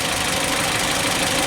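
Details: 2007 Kia Spectra, manual, 166,000 miles, initial complaint crank no start: harsh, clattery idle with an uneven knocking edge over a loud hiss; scope crank and cam traces show camshaft timing way over-advanced.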